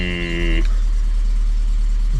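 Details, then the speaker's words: 2001 Volvo S40 petrol, a cheap non-runner that started easily. Deep, loud rumbling idle with a blatty, uneven low puffing; it sounds diesel-like and as if there is a big hole in the exhaust, so an exhaust leak is suspected: loud exhaust at idle. "it's it's it sounds like it's got this big of a hole in the exhaust hmm"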